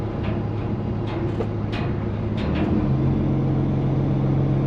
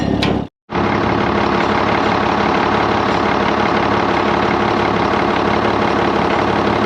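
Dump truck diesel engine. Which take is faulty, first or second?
first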